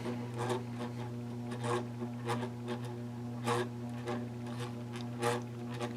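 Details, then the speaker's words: 1992 Bahama 52-inch hugger ceiling fan running on medium: low steady motor hum with a soft rhythmic swish about once a second. The motor is much louder than it used to be, though quieter on medium than on low. "Motor was a little bit loud. I remember that but it's nowhere near as loud as it is now."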